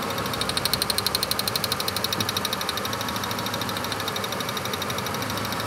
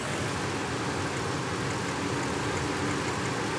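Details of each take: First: Ford F-150 with a waste spark ignition after misfire repair: an even V8 idle with no stumble and a crisp ticking about two to three times a second; the constant misfire is gone. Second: Ford F-150 V8 waste-spark ignition with a misfire despite new coils, at idle: faint, irregular sharp snaps over the rumble from secondary ignition arcing, apparently from a different cylinder than number six, which has a bad spark plug.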